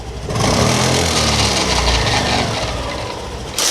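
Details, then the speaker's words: Honda Activa BS6 scooter: revs rise then fall, with gritty "karakara" crunching over the dying revs after the throttle is released; mechanic suspects gearbox bearings or kick-start gears catching, not confirmed; grinding noise on deceleration. "Race చేసి వదిలేసిన తర్వాత కరకర కరకర అని sound వచ్చేస్తుంది"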